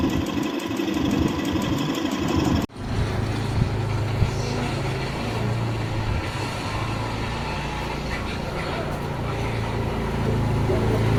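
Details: Royal Enfield UC single-cylinder at idle: an irregular ticking clatter rides over the low thump, suggesting an abnormal top-end noise whose cause is not identified.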